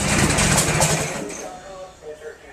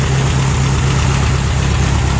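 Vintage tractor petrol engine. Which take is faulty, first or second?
first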